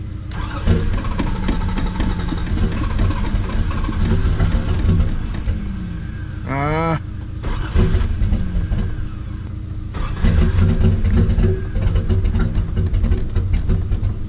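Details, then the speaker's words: Cold start after sitting a week, exhaust previously messed up: starter cranks, engine catches first try, rough-edged cold idle with sharp rev blips; healthy. "There it is. Yep, she's alive."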